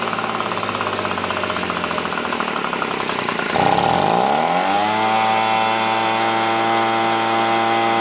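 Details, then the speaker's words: Echo PB265LN leaf blower two-stroke, freed from seizure, fuel leaking: rough raspy rattle, then revs dip and settle into fast steady drone; high idle with idle screw all the way in, gas-soaked air filter suspected. "this smells like gas so let's try it if that's soaked it's not allowing airflow [Applause] look idle screw all the way"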